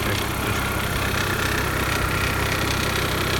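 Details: VW/Audi 1.8T AEB petrol at idle with a fast, loose ticking rattle about four per second, loudest at the chain tensioner side at the rear; hydraulic lifters suspected, chain tensioner suspected worn, unconfirmed.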